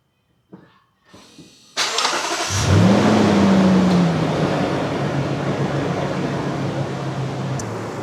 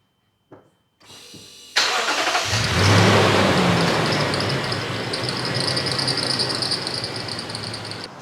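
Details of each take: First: 2015 Lexus GX460 V8 at 142,000 miles after serpentine belt replacement: starter catches and engine settles into a smooth, even idle with no squeak or chirp; new belt fixed the squeaking, normal idle. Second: Lexus GX460 V8 at startup: starter cranks, engine catches, and a high, thin squeal with rapid chirps rides over the idle. Serpentine belt squeak from a Bando belt (suspected counterfeit) with about 30,000 miles, car at 142,000 miles.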